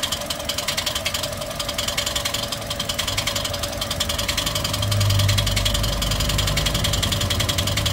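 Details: Toyota 1NR-FE engine, noisy engine: steady sharp ticking three or four a second over a busy idle; noisy top end, lifters suspected but unproven, engine being opened to check.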